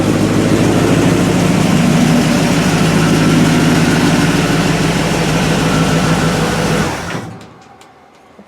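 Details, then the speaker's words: 1955 Chevy pickup started for the first time after a long build, after sitting a while, on the carburetor it arrived with: even, steady rumble at idle with no knocks or misses, then it winds down cleanly at shutdown; healthy. "Got a nice little rumble to it, nothing crazy. Nothing crazy. So that's good."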